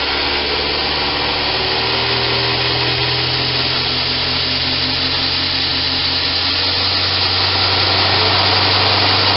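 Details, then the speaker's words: Homemade 2x72 belt grinder sitting on a metal table without rubber feet, speed control turned up from half speed to maximum (10): steady high hiss and hum climbing then holding, only faint flutter from table vibration; normal smooth running at full speed. "And this is just sitting on a metal table. There's no rubber feet or anything like that. And it is very smooth."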